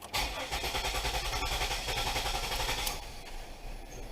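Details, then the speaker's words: 2000 Pontiac Bonneville: engine catches, then runs rough with a fluttering, unsteady beat that never settles; faulty ignition switch causing the rough running and stalling, found after a replaced crank sensor failed to fix it. "see the car died on me and it was starting to do that fluttering like it does yeah it's running bad now we really upset it"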